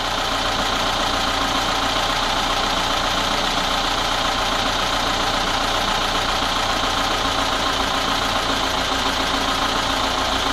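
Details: VAZ 21213 engine at idle after a valve adjustment and timing chain tensioning: a light, quick knock under the valve chatter. Owner suspects the camshaft; unconfirmed.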